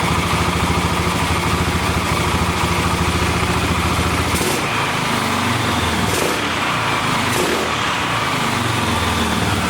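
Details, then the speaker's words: 1991/92 Yamaha XT350 dual-carb single, carburetor previously apart with partial kit, first start: runs quietly with fairly steady beat, then eases off partway; a little cold natured, no knock or smoke, motor sounds healthy, then reluctant to restart. "Engine's nice and quiet. Uh-oh. She's a little cold natured. But it does run. That's the good part. Motor sounds healthy."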